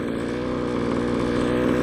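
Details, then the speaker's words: Stock 1:5 scale RC car: the small two-stroke holds a fast, steady buzzing idle with even pulses and no hunting or sag. Owner says the idle is now good. "there's no way i'm gonna run this thing with that kid that idol's mint now"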